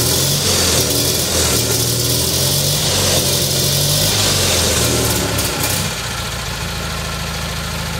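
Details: Rebuilt single-cylinder Kohler Magnum M18 from a Cub Cadet 1882, first start in two years on a test stand, targeting about 1400 rpm with about 48 psi oil pressure: a steady thumping beat, lazy and uneven in places; running rich, it smells like a rich bog, the carb needs tuning.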